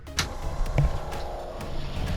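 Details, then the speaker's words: MacGregor 26X boat freshwater pump with the tank valve opened: a steady hum under a few knocks as water flows, then it shuts off once enough pressure is built. Pump working normally. "there we go. I can hear the water going now. All right. Okay, so now it turned off. It built up enough pressure."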